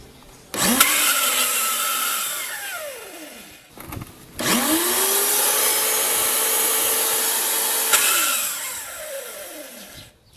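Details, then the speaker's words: WAP Excellent 2500 lb pressure washer motor shrieks to a loud, drill-like whine and spins freely with no pressure; pump drive gear broken or loose, a common fault on this model. "que caso tenha um máquina Fabi excelete com barulho estranho parecendo uma de furadeira E não tem pressão você ouvir o barulho do motor faz um barulho alto e não da pressão"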